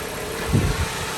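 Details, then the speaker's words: 2014 Jeep Compass after replacing the crank position sensor with the original part for code P0335 stalling: engine cranks briefly, catches within half a second and settles into a steady, even idle; normal start and idle. "right so here's going to be the start up of the vehicle got the key in the arm position you see all the lights is on crank it starts right up"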